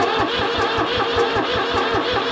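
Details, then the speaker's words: New Holland L783 skid steer with a hard-start, no-start problem: steady starter cranking at about four compressions a second with starting fluid sprayed into the intake past the filter, but it never fires. Cause unconfirmed. "Sprayed starting fluid straight in that, so we're getting past the filter. She's trying."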